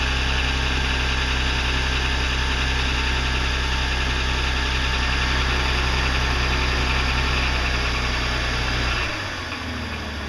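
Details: 2006 BMW 330i E90 petrol six: hard clattery diesel-like knock at idle, then several short revs; started as cold-start knocking six months ago, now knocks all the time; cause unknown.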